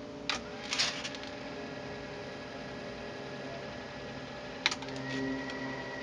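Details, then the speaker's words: Restored, freshly serviced Tascam 112 cassette deck with new modern lubricants: crisp clicks as the transport snaps between rewind and fast forward, then a faint, even whir with no squeal or drag; normal tape transport operation. "that's instant re rewind and forward line beautiful handling i'm gonna go right into play instant no noise"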